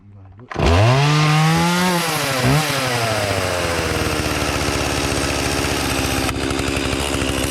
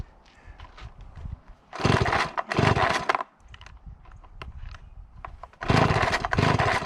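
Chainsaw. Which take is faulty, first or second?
first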